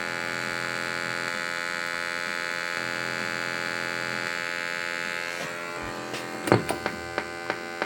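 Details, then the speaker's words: LAI Games Lighthouse redemption arcade machine: constant electrical buzz with a few clicks through the speaker, heard as feedback during play; owner suspects the amplifier board, not confirmed. "Now see, there, you can hear Press the button to play. You can hear the feedback."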